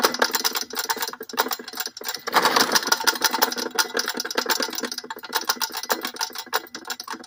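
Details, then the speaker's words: Modified old lifted lawn mower (owner thinks Swamp Rat 2000) with a cracked-in-half engine leaking oil, barely running: ragged, uneven popping and sputtering with no steady beat; rough running, cause suspected. "this drive actually yeah it's popping and farting oh"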